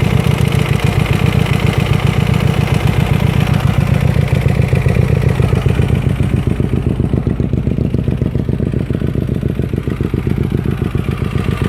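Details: Hyosung GT250R motorcycle idling with a steady heavy engine knock, appearing after the bike was ridden with no engine oil.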